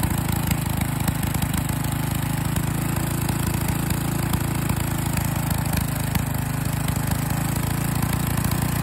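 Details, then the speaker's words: Small single-cylinder engine running with liquid gallium poured into the carburetor, holding a steady, even low chugging idle with no misses or knocks; it has survived about 10 grams so far and runs normally. "all right so as you can hear it's uh so far survived about 10 grand or still of gallium running through it"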